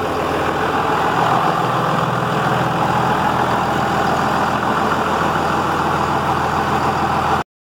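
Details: Dodge Ram 2500/3500 Cummins diesel just after a failed lift pump was replaced with a new AirDog 150 system, primed and started: steady even diesel clatter at idle, no stumble or surging, runs healthy.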